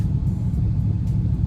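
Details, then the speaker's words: Mitsubishi Eclipse after head gasket replacement, first cold start after sitting 3 days: smooth, even, slightly fast idle, dropping from 1500 to 1300 rpm (should be about 700), no misses or knocks. "First start, it's been cold, so idle's a little high. Trying to wait for the temperature to get up. It was at 1500, now it's at 1300."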